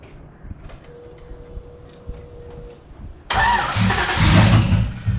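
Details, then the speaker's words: Car with a new engine tune cranks steadily and fast after a warning tone but never fires, even after a plug change; pending a tuner check of PCM communication. "unfortunately bad day today car won't start again change the plugs and nothing"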